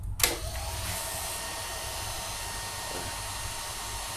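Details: Honda All New CB150R radiator fan tested with thermo sensor unplugged and ignition on: steady even electric whir, no rattles or scraping; fan works normally.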